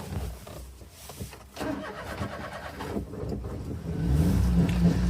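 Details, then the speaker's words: Daihatsu Midget: uneven cranking for about four seconds before the engine stumbles and catches into a rough idle on a second start; hard restart, owner suspects it dislikes being restarted before warming up. "one thing I noticed about midgets is they don't like to be started up and then not moved or not like uh let warmed up I guess you could say so when you go to start it up a second time it does not like it because it likes to be warmed up"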